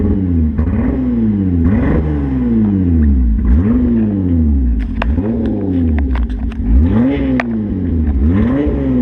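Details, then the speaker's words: Hyundai Tiburon that sat a long time, after Seafoam in fuel tank, crankcase oil and intake vacuum line: idles fine but has an issue on power, revs climbing and falling repeatedly with crackles and stumbles; hesitation under load, cause unknown. "um well it's good under idle it's got an issue when you get on power uh you guys will hear it"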